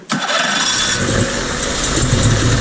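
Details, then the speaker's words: Mercury 50 two-stroke outboard (engine family 9M9XM00591C1, model 1050412FD) in a pond test after a new fuel filter and resealed inlet airbox. Previously it idled rough and died. It now catches and settles into a steady, crisp, buzzy idle with no stumbling: normal idle. "That's an idle. Fuel filter, baby. That's it."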